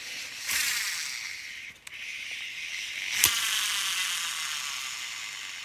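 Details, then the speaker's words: Shimano Exsence DC baitcasting reel spool spun, mechanical whir and rattle with no DC electronic brake whine; sound lost after a backlash, brakes still function, DC module suspected and replacement ordered. "You see you hear the mechanic sound of the normal spool, but normally you should hear the whine sound of the DC."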